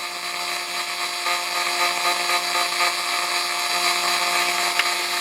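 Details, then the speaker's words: Roland MC-505 groovebox with audio faults, main out: after a while a steady electronic hum with fixed tones and hiss sets in, continuing even when stopped; persistent hum on audio output. "And then listen to that. After a little while, it just starts this humming."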